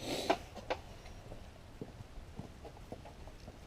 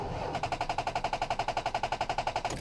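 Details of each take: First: 2005 Ford Ranger after jump-starting and confirming a good battery, alternator about two months old: short crank that catches at once and settles into a steady, even idle; charging shows about 14.5 volts, healthy start. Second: 2005 Ford Ranger with a dead battery from sitting unused: rapid machine-gun clicking, about ten a second, from the starter solenoid with no crank. It needs a jump start, not a new starter.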